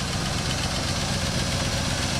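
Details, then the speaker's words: 1967 Buick GS340 after replacing a debris-clogged water pump that caused overheating, left idling and staying cool: a smooth, steady low idle with an even beat and no knocks, ticks or squeals; a healthy warm idle. "So we've been letting this thing sit here and run, and it is staying nice and cool, purring like a damn kitten, and I'm ecstatic."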